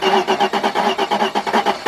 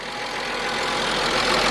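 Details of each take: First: 1997 Mercedes-Benz E320, 119,000 miles, unrun for almost a year: after a new camshaft position sensor and repaired frayed sensor wires, it cranks with even pulses, then catches roughly and settles into a steady run; cranks-no-start now fixed. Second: 1997 Mercedes-Benz E320, 119,000 miles, just started after almost a year unrun, following camshaft position sensor replacement and wire repair: idle uneven with slight stumble and hesitation as it settles; rough idle, cause not yet known.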